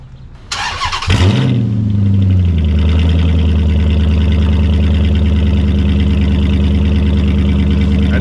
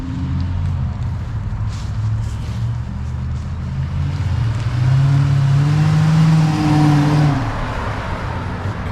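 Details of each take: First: 2006 Dodge Magnum with mufflers removed, only factory manifolds and cats, before suitcase replacement: starts, then settles into a loud, deep, throbbing idle with a raspy edge; loud open exhaust, which the owner calls pretty gross. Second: 2006 Dodge Magnum, warmed up, suitcase muffler replaced by two pass-through Magnaflows, rear mufflers retained: deep, even note swells smoothly on a rev and settles back, only slightly throaty with no rasp or drone; healthy exhaust.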